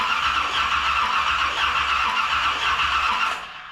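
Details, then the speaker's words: 1981 Corvette with a newer engine, after a new ignition coil and a reseated loose distributor connector: steady, rough starter cranking for about three seconds. Spark is now restored, though the owner still suspects a timing issue. "We have spark. Let's put it all back together. All right, guys, let's recap. We have spark. We replaced the coil, okay?"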